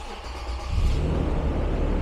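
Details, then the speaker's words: 30K-mile 2006 Toyota 4Runner SR5 started cold indoors, no dash warning lights; catches quickly and settles into a smooth, even idle with no knocks or misses — normal cold start and idle. "Runs so smooth, cold starts easily. There's no warning lights, you know, of any kind on the dash or anything like that."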